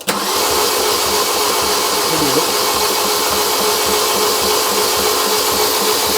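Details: Fiat Doblo van engine rebuilt after snapped timing chain and rocker replacement, new water pump fitted, oil pressure gauge on block; starter spins engine evenly with injectors removed, no catches or grinding, oil pressure rising to about 15; normal cranking.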